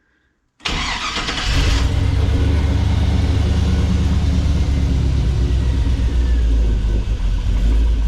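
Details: 1957 Metro van with a modern driveline, fired up on the hoist after the build to check for leaks: a brief crank, a quick catch, then a deep, steady, even idle with no misses or knocks; it starts healthy.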